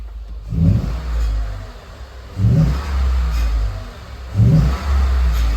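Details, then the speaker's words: New truck with 5.0 V8 and a tuner from the old truck, no warning lights: three sharp free-revs about two seconds apart, deep even rumble rising and settling cleanly, no knock or miss; a clamp rattle underneath was noted separately. "Oh my lord. This sounds way better than my old truck."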